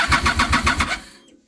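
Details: 2007 Triumph Daytona 675 starter cranks at about seven even pulses a second, then stops without catching. Spark is present on all three plugs, but the pump primes with no tone change and no fuel seems to come from the injectors. Owner suspects low fuel pressure, debris blocking the regulator.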